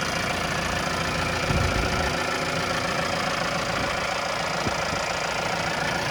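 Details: 2018 Mahindra Roxor diesel, started right up with clutch in after fuel pump priming; steady, even diesel clatter at idle with no misses or knocks, healthy engine idling smoothly.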